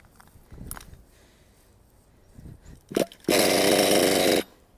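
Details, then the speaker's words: Nitro RC car engine during needle tuning, mixture too rich: a few cranking attempts, then the little engine catches about a second and dies; needle being turned clockwise about half a turn to lean it. "now it wants to start but it's not staying on for too long"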